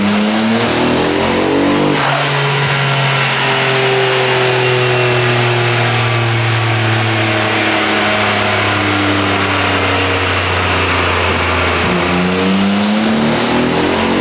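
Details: RB26DETT-swapped 1993 Nissan 240SX convertible, stock twin turbos at 15 psi, mostly stock setup, pulling on a dyno; loud, rough, choppy note from a severe misfire, peak only 247 hp and 221 tq.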